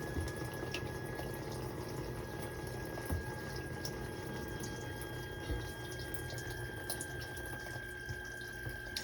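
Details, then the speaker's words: Whirlpool dishwasher, about 6 years old, leaving soap scum: a steady electrical hum with a thin high tone over trickling water while filling at cycle start. The owner suspects the solenoid water inlet valve, later confirmed by a spray test. "makes this humming sound i think this is the solenoid valve is having some trouble"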